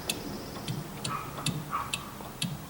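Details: 1964 VW Beetle rear axle turned slowly by hand: sharp regular ticks roughly twice a second, heard at the axle end; snap ring suspected but later ruled out, cause unclear.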